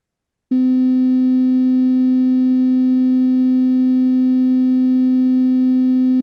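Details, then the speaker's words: Loudspeaker on an end-of-line test playing a 256 Hz tone: steady low tone with harsh raspy buzz on top and added harmonic distortion, audible through much of a sine sweep up to 1 kHz; rub and buzz defect. "buzzing sound you can see the buzzing sound"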